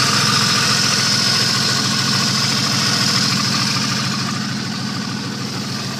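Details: 1989 Jeep Cherokee at steady idle with a regular deep bottom-end knock about three and a half per second over the engine note; owner calls it bad rod knock, not confirmed.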